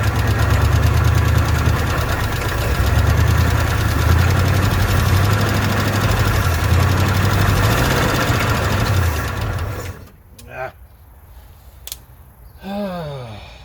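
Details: Old car with an old carburetor run on fuel poured into the bowl: rough, lumpy running about ten seconds, then dies, won't keep running on its own fuel; owner says the fuel pump isn't pumping, cause unconfirmed.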